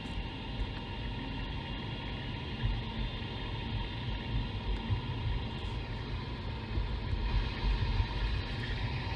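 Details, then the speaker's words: Mercedes E500 4Matic driven at 25 mph, ChassisEAR microphone clamped at the driveshaft centre carrier bearing; steady even low rumble with no whine, grind or knock: normal bearing. Owner is hunting a 35-40 mph lift-off driveline whine. "you can hear there's nothing towards the sound is quite normal if i switch to the rear axle that's letting off the gas accelerating letting off the gas"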